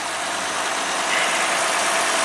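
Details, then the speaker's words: 2007 Lexus RX350 V6 at 190k miles on its second engine, after a harness short to ground was repaired, fuel pump resistor reconnected: a steady, even idle with no stumbling, surging or relay clicking, drawing under 10 amps. "there we go so less than 10 amps steady relays not clicking or anything car's happy"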